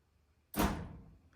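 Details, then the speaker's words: Whirlpool dryer YWED85HEFC0 with F4E4 error (power problem: breaker, outlet, wiring, loose connection or control board suspected): pressing and holding start gives one sharp clank, then silence with no motor spin-up; dryer tries but won't start. "It made that clank noise and then it stopped again."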